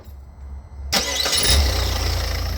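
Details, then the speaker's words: Automatic Peugeot 3008 with a crank sensor fault and rough gear selection, still needing an alternator belt; after the crank sensor was plugged back in and the DTCs were cleared with a Launch SmartSafe, a brief crank fires straight away and settles into a smooth, even idle. "And there we go. Up and running."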